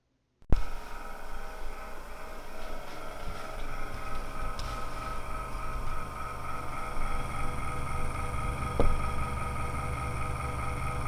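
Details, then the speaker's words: Corsair CX430 power supply with a worn, wobbling fan making a loud tractor-like noise before repair: constant droning hum with low rumble and steady tones; noisy PSU fan, actual sound louder than recorded. "je vous laisse sur un petit extrait du du bruit dégueulasse que cette Ali me faisait et encore le son est pas super fort sur la vidéo"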